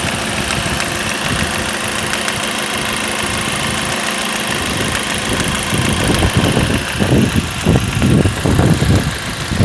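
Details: Ford Focus 2, 1.8 petrol 125 hp, 95,000 km, idling while parked: irregular knocking that grows louder; knock sometimes vanishes, returns when standing with engine running; removing AC drive belt (suspected AC clutch) didn't cure it, origin unknown.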